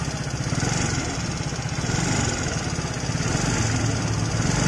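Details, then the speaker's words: Fairly new motorcycle idling with valve cover open: loud, fast metallic ticking from the front of the cylinder head; mechanic suspects loose valve clearance adjustment. "saya curiganya di setelan klepnya yang kendor karena ini motor masih tergolong baru ya"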